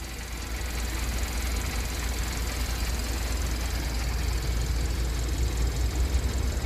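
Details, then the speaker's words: 2012 Kia K7 2.4 GDI Theta II at idle, mic close to engine, after cylinder boring, overhaul, oil pump and balance shaft, ignition coils and plugs replaced for broken crank bearings: smooth even idle, no gravel rattle or shake. "차 엔진 소음도 조용해진 것 같구요 차 떨림 2 없어진 것 같습니다 엔진 보링 완성 했구요 엔진 소리도 좋습니다"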